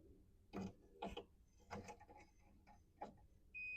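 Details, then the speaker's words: Jr. Pac-Man arcade, Midway 90421 power supply that was blowing its F1 fuse: a new quarter-amp slow-blow fuse fitted and probed in place; a few handling clicks, then a steady high-pitched meter beep; the fuse passes current, the old one was blown. "all right we got a connection so that was blown and that'd be a shocker if that was the only thing wrong with it"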